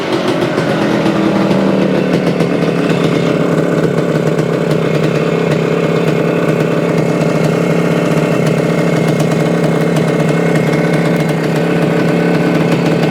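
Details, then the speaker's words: 1975 Suzuki TS-250 two-stroke, 6-volt system, after no-start repair: steady, even idle with crisp buzzy exhaust note, no misses, knocks or rattles; runs after stator rewired, frame paint scraped and coil remounted for ground. "well she runs it had to do something with the wiring or the coil or something that because that's all I did rewired the stator"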